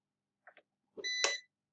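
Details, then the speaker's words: PowerShield line-interactive UPS, on AC input power being reconnected after running on battery through the inverter: two soft relay clicks, then a short beep. The UPS is returning to line mode on about 240 V mains, as normal. "You can hear it clicking, it's coming back online. All right, we've got AC recovery, and that's indicated in the message window, and you can see it here."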